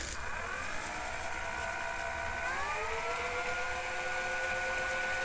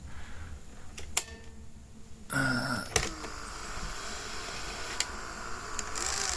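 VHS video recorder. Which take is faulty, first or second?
second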